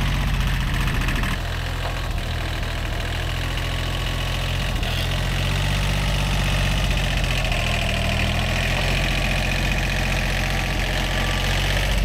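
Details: Old, worn Kubota B7100 diesel tractor at idle after a gearbox rebuild that replaced chewed-up gears and bearings: a steady, low, even chug with no gearbox grinding or clunks; smooth, healthy running.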